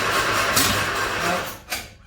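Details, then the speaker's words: Bedford CA campervan (Rambo), after adjusting ignition timing: engine cranks with ragged chuffing and sharp pops before dying. Owner suspects plug leads out of firing order, which should be 1-3-4-2 with cylinder 1 at the front. "now that sounds like the firing orders out to me again okay right uh so the firing order on bedford's here eight is one three four two one being at the front"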